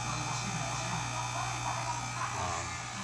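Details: FX6 aquarium canister filter after its first maintenance gives a steady, loud low buzz instead of a quiet hum; owner suspects about a tablespoon of sand found in the bottom reached the motor; cause not confirmed.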